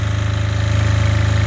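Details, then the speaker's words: Apache diesel generator pushed to its absolute limit at over 7,000 W, about 210 V output and smoky: deep, steady diesel drone with a rapid even throb and no misses, heavily loaded but running cleanly. "all right well this is what this generator looks like when it's pushed to its absolute limit"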